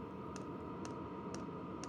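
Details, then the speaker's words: Vevor Chinese diesel heater in run state on level 3 after a modification (bubbles seen): steady soft clicks about twice a second over fan hum; noticeably quieter but not silent. "I I'll say this has made a difference is it quiet is it silent absolutely not is it quieter yes"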